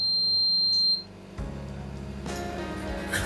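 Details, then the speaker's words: B Medical L130 medical freezer with a continuous alarm: a steady high-pitched buzzer sounds for about a second, then cuts out. It is the high-temperature alarm, triggered because the cabinet started warm near 30°C room temperature and was still cooling. "It is actually normal, because you know it is temperature increase up to 20. It is from the beginning it shows 30 temperature, room temperature. Because of that alarm start to work."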